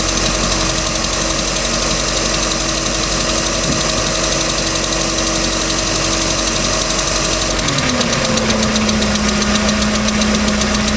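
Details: 3.0L Mercruiser boat engine, second owner, ticking started at beginning of season: steady run with quick regular light tick, tone dropping midway; cause unknown.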